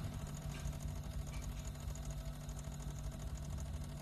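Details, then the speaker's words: Single-door refrigerator repaired for not cooling at all: a steady low compressor hum with a soft, even trickle of refrigerant flowing through the lines; the fridge is cooling and running normally. "nah nih ada suara air yang jalan ada suara air yang mengalir"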